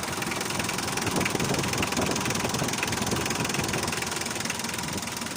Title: 4d56 eng. after repair, engine running w/o knocking sound of pully.